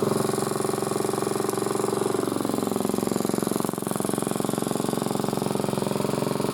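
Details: Single-cylinder motor-cultivator, which knocked and stalled in autumn and started poorly, runs after valve clearances were set (intake 0.20, exhaust 0.15): even, steady thumping at constant speed with no top-end knock or tapping; normal running.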